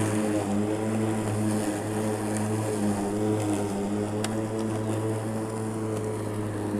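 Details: Makita 36-volt (2x18V) cordless lawn mower holding a constant 2500 rpm, cutting tall thick grass; steady motor and blade hum with nearly constant pitch, only slight lugging under load; holding speed well.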